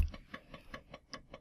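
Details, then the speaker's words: Floppy drive stepper driven by microcontroller step/direction signals: light crisp evenly spaced ticks about five per second, each step clean and identical, stepping working normally. "move the microphone a bit closer yep it seems to be working"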